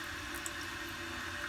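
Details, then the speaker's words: Newly installed toilet fill valve refills the tank with a steady quiet hiss and light trickle, no chatter or whistle; normal tank refill. "and so it's filling up and now we just want to make sure that this water is not going to get too high where it goes into this tube"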